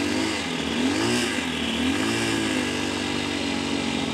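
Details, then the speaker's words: 2022 CSC TT250 carbureted single-cylinder enduro started cold on full choke, warming up: revs blip and settle to an even, steady idle with no misses, knocks or hesitation; normal warm-up idle. "continue warming it up until I have a smooth idle"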